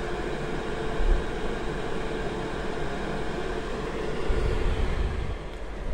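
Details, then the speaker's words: Chinese diesel heater run on Jack Daniels whiskey, which could not sustain combustion: a steady low fan rumble at an even pitch with no burner roar as it flames out, cooling down in shutdown mode before switching off. "it goes into its shut down mode the fan keeps going so that nothing overheats inside but it's gradually getting colder and colder is having one final blow now a little turn off completely in just a moment"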